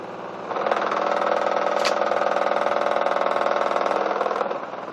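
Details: Newly bought Miele washing machine on a non-concrete floor, noise began 2–3 weeks after purchase, spinning 1.6 kg dry laundry; owner suspects weak plastic connectors: loud droning hum building on spin with rhythmic thump about four a second; loud vibration and noise.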